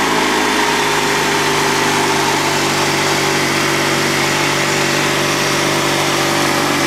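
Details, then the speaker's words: Honda 3813 lawn tractor's Honda GX360K1 twin engine, sat a year and restarted after fuel pump work, idling smooth and steady with an even note and no misses or knocks; sounds car-like, healthy. "tell, it doesn't even sound like a mower engine. These things are so closely related to the Honda car engines, it's no surprise that it sounds like one."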